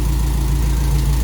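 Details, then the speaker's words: Toyota Corolla KE55 4K-C after first start. Low, steady idle hum holding an even beat without stumbling, idling not bad; owner says timing still needs setting with a timing light and a proper tune. "we got the car idling and it's idling not bad i think i need to take it somewhere to get a um timing light on it and get someone to actually tune it properly"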